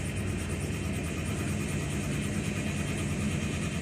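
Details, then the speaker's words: 2005 Toyota Sequoia V8, towed in as a crank-no-start, running after the immobilizer was reinstalled. Engine seems fine despite suspected low-cylinder readings. Steady, even low rumble with no stumbles or knocks; normal idle. "the engine didn't sound terrible as far as uh with the low cylinder stuff"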